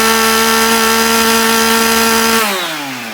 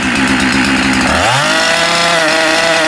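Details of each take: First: Husqvarna 372XP chainsaw after replacing the bad ignition module that made it cut out when revved: steady clean idle, then crisp revs climbing and dropping smoothly without stumbling or cutting out; running right. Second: Husqvarna 372XP chainsaw starts and idles but cuts out when revved; revs climb then the note drops suddenly and breaks up under throttle. Owner believes the ignition module/coil is failing; replaced, with coil pickup air gap set.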